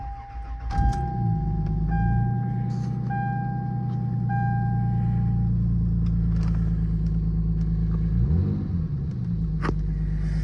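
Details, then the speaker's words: 28-year-old Lexus GS300 after replacing ignition coil six to cure a misfire: brief crank, fires at once and settles into a smooth, even idle with one quick blip over a door chime; normal start and idle. "I don't know. It feels like it's running fine."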